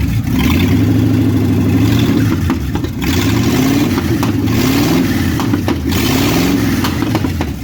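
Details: 1957 Chevy hardtop (LT1 Roadmaster conversion project) after advancing ignition timing; runs continuously, repeated throttle blips rise and fall cleanly without stumbling — healthy enough to drive, engine running normally.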